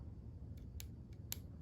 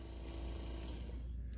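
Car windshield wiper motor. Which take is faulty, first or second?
first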